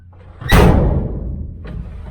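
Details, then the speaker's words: 1969 Chevy Van that sat off the road for 35 years, before seam sealing, with its engine now insulated: a door slam sets off long hollow metallic ringing as the bare body panels vibrate and rattle. "You can hear it just slamming that door. Everything just, all this metal just vibrates."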